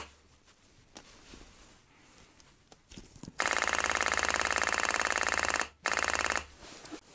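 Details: Fast, even ticking buzz in a steady burst then stopping: the fuel pump of a ZAZ 968 Zaporozhets autonomous parking heater pumping normally after its contacts were cleaned, during the first revival attempt in winter.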